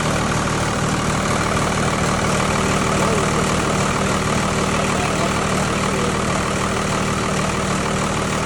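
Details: Tucker Sno-Cat with 5.9 Cummins 12-valve diesel, sat over a month after stalling and would only crank (fuel pickup screen suspected), now started: settles into a steady, even idle with a firm low rumble, no misses or knocks; normal idle.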